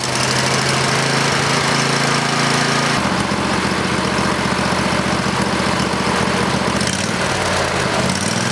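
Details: Briggs and Stratton 20HP V-twin Model 40 after carburetor cleaning and reassembly: steady, even drone with smooth unbroken beat, no misses or knocks; pretty good running engine, normal running.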